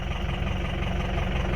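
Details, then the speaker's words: 2004 Ford F-350 6.0 Powerstroke diesel with low power: deep, lumpy, uneven idle like an old tractor; cylinders 6, 7, 4 and 1 show negative contribution, running on four cylinders from a failed FICM. "you can hear when it starts there it's clearly got a goodness to it it sounds like an old tractor so six seven four and one are all showing negative on the contribution"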